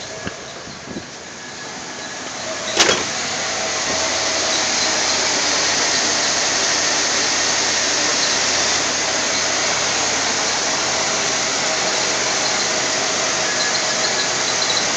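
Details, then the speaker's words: 1985 Chevy Caprice Classic, wrecked front, cold start: engine settles into steady hissy run with a loose rattle from the loose front end parts wobbling; engine runs good. "That noise is just everything wobbling around there. Yeah, it's just the front right here. But yeah, it runs good."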